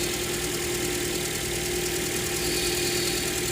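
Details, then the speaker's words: 2009 Toyota Matrix 1.8L, hard starting, runs rough after dealer timing chain tensioner and spark plugs: uneven idle with irregular low thump over steady hum; cylinder cut tests point to low compression, worst on cylinders 4 and 3. Misfire. "it four gets worse three's kind of bad two there's a slight difference and one there's a slight difference so that's kind of confirming [Music] our compression issue"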